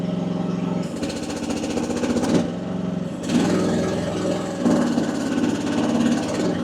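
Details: AGT WH12R 1-ton mini excavator, hydraulic relief pressure set to 2,700, engine at low rpm: diesel sags and labours under hydraulic load, nearly dying before recovering; bogging, pressure possibly too high.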